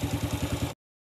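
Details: Yamaha Vega ZR motorcycle after fixing loose-piston clatter by fitting a size 75 oversize piston (was 50): brief soft idle, even thumps about eight per second, no knock or rattle; smooth, healthy.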